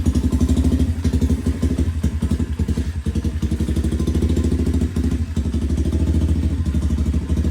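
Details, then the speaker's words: Restored budget pit bike, small single-cylinder four-stroke, ridden in cool 50s–60s°F weather by a 210 lb rider: even thumping rises and falls smoothly with throttle, no knocks or misfires; runs great but feels underpowered, likely smaller than 125cc. "Definitely not a 125. It runs great. It runs really great, but it's definitely not a 125."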